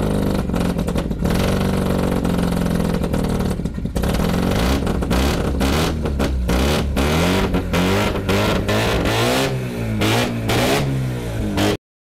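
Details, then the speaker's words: Mazda FC RX-7 rotary after priming, previously sputtering and cutting out with a failed fuel pump and rusty tank: loud, raspy exhaust, quick throttle blips rising and falling cleanly; pulls strong. "pretty loud just just be glad it's not facing in the garage the exhaust it's ridiculous"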